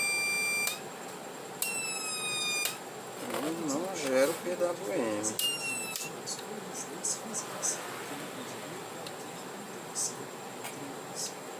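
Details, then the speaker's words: Reliable 03 inverter under repair: buzzer taped over to quieten it, red LED lit; short bursts of rapid high beeps, muffled, repeating: fault alarm. "Esse barulho é chato. Vou colocar aqui uma fita para tapar aqui ele, para ele silenciar mais, que esse aqui é chato."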